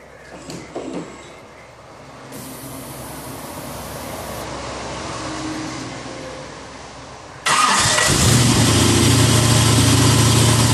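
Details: 1988 Lamborghini Countach replica after a no-start blamed on fuel starvation, fuel pressure primed to about 40: short crank, catches cleanly and settles into a strong, even idle with no stumbling; engine now fuelling properly.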